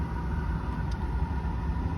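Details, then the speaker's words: Jaguar XJS heater/AC blower after replacing the check valve so dash vent doors now open: smooth, constant fan hum with a faint steady tone and low rumble, no rattles or scraping, air now coming out of the dash vents; normal blower. "basically before you could hear the fan running like it is now or turn it up it come up but really it was just sort of blowing air in the back of the dash and we weren't getting anything through here"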